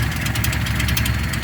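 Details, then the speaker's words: Datsun 260Z at idle: quick sharp ticking puffs in time with firing, from a small exhaust leak somewhere at the rear. "got a little bit of an exhaust leak back here in the back somewhere you can hear"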